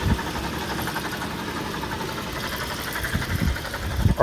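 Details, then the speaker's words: 2005 Toyota 4Runner SR5 with 394k miles: steady idle hum with a light metallic rattle, only at idle, from underneath; heat shield or AC compressor suspected, and the AC compressor was later found to be the culprit. "now it's making a little bit of a rattling sound but that's only at idle and I think it sounds like something"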